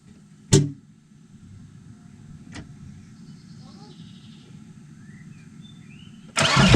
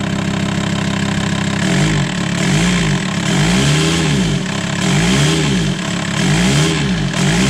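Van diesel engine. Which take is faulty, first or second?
first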